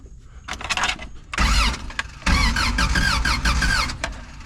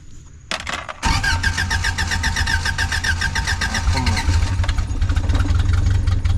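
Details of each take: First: Old Toyota truck sitting 26 years, spark plug wires off: two bursts of cranking, engine spinning freely with starter whir and no firing, as expected without spark; distributor previously swapped, timing may need adjusting. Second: Old Toyota truck sitting 26 years, after replacing the suspected bad coil and fixing a ground, carbureted: cranks a second, fires and settles into a steady, somewhat uneven low idle; engine starts and runs.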